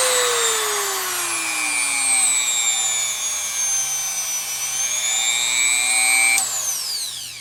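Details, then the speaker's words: No-load run of a roughly $30 replacement rotary tool, bought because the old Dremel barely worked, stepped from its slowest speed upward. A clean, steady high-pitched whine rises and falls smoothly with the speed setting, with no rattle or grinding. Healthy motor. "makes cool sounds I like that [Music] oh it's no V8 engine but it'll have to do"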